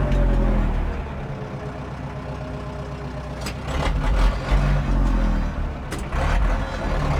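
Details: 1997 Zetor 4340 cab 4x4 tractor, about 59-60 hp, 1447 hours, unserviced as traded in: steady low diesel thrum holding even speed under 540 PTO load, a few machine clanks; runs healthy.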